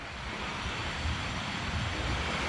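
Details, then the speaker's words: Healthy wheel bearing on a 2020 pickup (owner reported ugly noise from the rear) spins freely with a smooth, steady rush, no growl or rumble; the bearing on the other side was the faulty one. "bueno si escucharon este este balero no se escucha ningún ruido"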